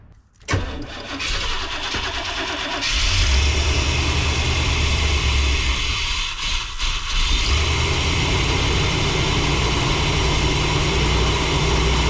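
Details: 1992 Chevy G30 one-ton van, 454 big-block, during fuel-system troubleshooting with suspected vacuum leaks: cranks briefly, catches and settles into a steady, fairly even deep-rumbling idle, no misses or hissing.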